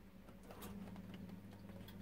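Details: Ravenheat 82020 RSF boiler while the pilot is being lit: a steady low hum with a soft, even whoosh and faint ticks, plus igniter sparking. The fan is running normally.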